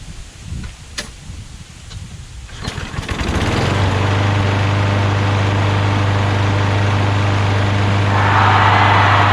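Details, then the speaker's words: Craftsman push mower after overfilled oil was drained, the carburetor cleaned, debris cleared from the air filter base canal and rpm adjusted: it pulls, catches and settles into a steady, even drone with no surging or misfire. It now runs smooth. "too so as you can see much smoother so it was just a little bit of debris in the canal of the air filter base so that air and fuel flows freely through that area now that runs very smooth"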